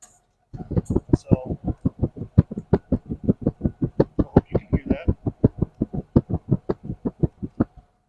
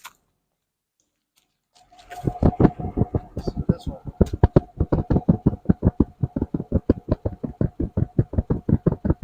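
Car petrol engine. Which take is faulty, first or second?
second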